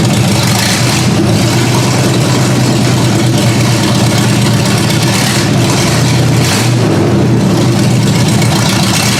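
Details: Ford Granada V8 on open headers, first start-up after work: loud, lumpy, unsteady idle between throttle blips. The owner raised the idle speed and backed out the carb mixture screws until it idled on its own.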